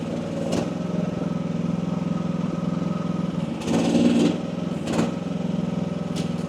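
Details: AGT WH12R 1-ton Chinese mini excavator with hydraulic relief at about 2300 PSI: steady diesel thrum with even pulses, brief load surges as hydraulics push, holds speed without bogging; owner feels this is optimal.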